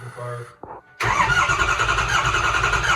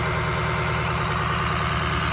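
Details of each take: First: First start of a 2006 6.0 Powerstroke diesel swapped into a 2003 Ford F350: catches after a short crank, runs rough, sags almost to nothing, then refires; hard starting as the high-pressure oil pump took time to build pressure. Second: 2003 Ford F350 with a swapped-in 2006 6.0 Powerstroke diesel, after a coolant flush and fill, held at about 1200 rpm high idle to purge air bubbles: even, steady rumble with no misses, knocks or surging; running smoothly.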